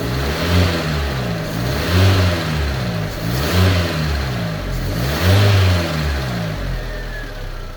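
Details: Fiat 500 after head gasket and repaired cylinder head refit, combustion-gas test chemical not changing colour; several clean rev blips rising and falling smoothly with no misses or knocks; engine pulling evenly, normal revving.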